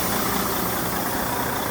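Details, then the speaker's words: Diesel idling, Bendix air dryer system that keeps purging: loud steady hiss as the air tank relief valve vents, pressure above 160 psi versus the usual 140; governor not cutting out suspected. "and the relief valve on the air tanks is releasing the air now because it didn't tell it what to kick off let me go ahead and shut it off"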